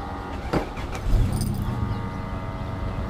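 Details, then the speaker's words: Toyota/Lexus GS with B2729 code, flashing immobilizer light and crank-no-start, after reheating immobilizer antenna amplifier solder joints: brief crank, catches and settles into smooth steady idle; starts, but fault was intermittent so fix unconfirmed. "गाड़ी start हो गया है तो पहले भी कभी-कभी start हो जाता था"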